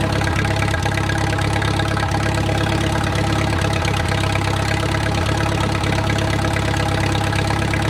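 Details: Wartime H engine's first run after 20-plus years sitting. Slow, even idle thump at roughly three beats a second with no knocks or misses; the engine is running normally.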